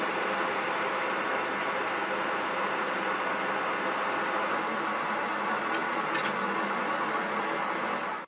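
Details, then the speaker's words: IZh 250 ITV lathe newly reassembled after overhaul, turning a gas-cut bar end for a tailstock centering holder. Steady cutting hiss with a fine thin high-pitched chatter: an insert chipped on the hard gas-cut end. "Ну, не знаю, как звуки на камеру, а мне отчетливо было слышно что-то типа мелкого дробления высокочастотного. Все дело в том, что отрезался этот пруток газорезкой, и на конце я немного запорол пластинку."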